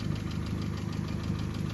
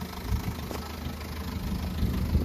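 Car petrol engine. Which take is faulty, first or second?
second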